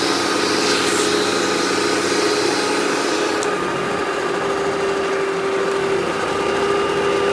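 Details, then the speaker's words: Eureka The Boss Smart Vac 4870 GZ upright vacuum with replaced belt and wooden brushroll; constant high motor whine with steady mid-pitch hum, no rattle or surging; noise mostly from brushroll. "this thing does run pretty smooth the only amount of noise this thing makes is mostly coming from the brushroll"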